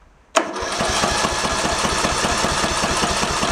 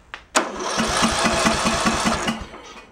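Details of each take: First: Early-2000s Craftsman LT1000 tractor, overheated and backfiring before, compression now sounding better: two bursts of even cranking, about four beats a second, with no start. The test plug arcs everywhere and is bad; fuel starvation at the carb is also suspected. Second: Craftsman LT1000 tractor, probably early 2000s, overheated with lost compression, after engine repair, cranked with key off: even, steady chuffs about two and a half per second, each stroke equally strong; compression sounds healthy.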